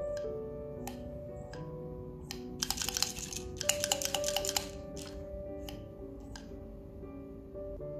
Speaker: just to show you again listen carefully the sound of the magnetic bar hitting it up and down